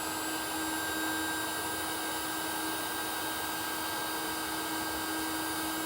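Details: NASUM hot air charcoal BBQ starter, a replacement unit after the first gave no heat, held close to charcoal in a Weber kettle: a steady fan rush with a constant whine and no wavering; it is running normally.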